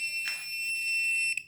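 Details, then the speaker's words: Non-contact voltage tester held on a switch in a metal wall box: a steady high-pitched beep for over a second, then it cuts off, as it detects live voltage. "Okay, stupid thing went off."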